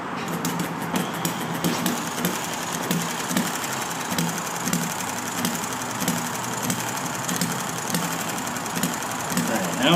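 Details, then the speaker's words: Enjomor model engine with the original stiff brown piston O-ring, hard to start on a humid day; it had flooded and soaked the plug, and now fires steadily with a regular chuffing beat after the flooding cleared. "Now I got it firing."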